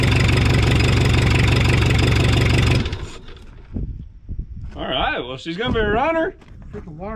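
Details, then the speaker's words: 1984 Mazda B2200, 2.2L Perkins diesel, first run after sitting since 1998, hand-primed fuel: even, deep idle with steady firing pulses about four a second, no knocks, a little exhaust smoke, then cuts off; runs normally. "sounds good it's got a little bit of exhaust we right"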